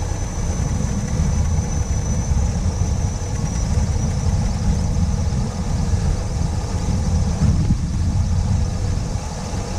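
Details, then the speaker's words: 1979 Ford Pathfinder Quadravan 4x4 V8 with a newly fitted carburetor, still due a tune-up and vacuum-leak hunt: deep, even idle rumble with no ticks, knocks or stumbles, no leaks seen; sounds real good. "Motor sounds good too. Not leaking. Not leaking down there. Not leaking up here. That sounds pretty good. I like it a lot. Sounds real good."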